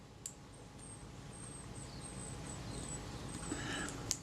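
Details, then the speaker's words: Kodak Retina-Xenar 50mm f/2.8 lens being serviced: faint, thin high-pitched squeaks as the focus scale ring turns, from dry, unlubricated locking tabs with friction, possibly dust or dried-out lubricant; needs addressing. "yeah that means this is draw and unlubricated basically where those tabs are there's some friction there maybe dust in there if there was any lubricant it's dried out but it makes a squeaking sound so that's certainly going to be need need to be addressed"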